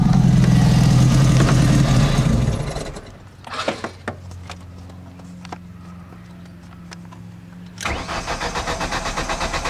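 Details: Ford Focus SVT that won't start: starter churns the engine at about three and a half beats a second, pauses with a few clicks, then cranks again, never catching; crank, no start.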